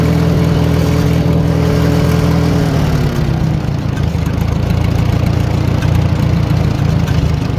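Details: 1940 Farmall H after distributor timing adjusted, long untimed; smooth steady engine note settling as revs drop, running right; bad timing was main cause, slight spit on quick revs, carburetor may need going through.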